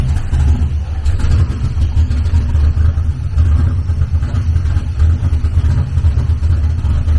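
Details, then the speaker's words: LS V8-swapped BMW E46 on its first start, warmed up, with a vacuum line still disconnected and new larger injectors not yet rescaled: deep, lumpy, wavering idle that won't settle; runs rough, suspected from these causes. "i could hear that we i don't have the vacuum line hooked up over here so we need to get the vacuum line hooked up and i never rescaled the injectors"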